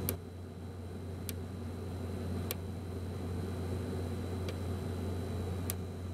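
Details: be quiet! Dark Power 12 1000W PSU after 40–60 minutes under heavy load: sharp random single clicks or short series with random pauses over a steady low hum; internal fault, unit replaced under RMA.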